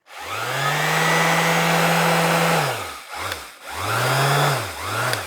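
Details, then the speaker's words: Older NRG-brand sander from a charity shop, bench-tested after passing an earth-leakage check: strong, steady motor hum spinning up smoothly and coasting down cleanly, little vibration; the motor sounds healthy. "But it seemed to have a nice sort of hum. The motor sounds strong. Not a lot of vibration."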